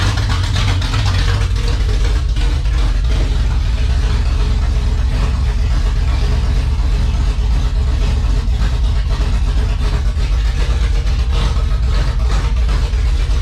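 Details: 1978 Dodge Warlock truck, 360 small-block stroker on first start: deep, steady V8 rumble with crisp, even throttle blips and no knocks or ticks. Running well, 75 psi oil pressure at idle from a high-volume pump and over 80 revved.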